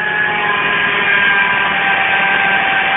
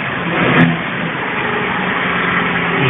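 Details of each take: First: Citroën C3 at idle, whose accessory belt uses a manual tensioner with two rollers: a steady high whine like an electric motor sits over the engine; worn accessory belt tensioner and idler pulley bearings. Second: Citroën C3 running in neutral after replacing the accessory belt and its rollers: steady, even engine hum, the earlier electric-motor-like whine is gone; belt drive sounds normal.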